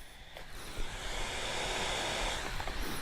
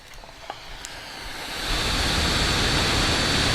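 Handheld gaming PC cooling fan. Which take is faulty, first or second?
second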